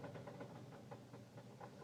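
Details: 2006 Saturn Ion, owned five years, knocking for two weeks: quiet uneven idle with a faint deep knock four to five times a second; mechanic suspects a piston, others something else in the motor, unconfirmed.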